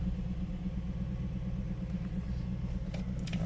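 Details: 2013 Honda Accord with check engine light and high idle: a steady, smooth idle drone held a touch fast that never settles lower; scan shows throttle actuator control system idle position not learned, so an idle relearn is needed.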